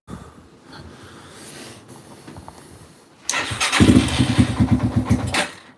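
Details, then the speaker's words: 2005-2009 Yamaha TTR-230 being diagnosed, choke on, idle and pilot mixture screw turned up: faint cranking, then uneven huffing at about three pulses a second before dying; owner suspects lean running, doubts a manifold air leak. "hm still it sounds like it's it's a huffing it's usually a sign that it's running too lean which is weird"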